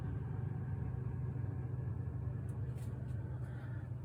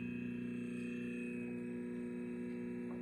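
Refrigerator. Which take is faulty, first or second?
second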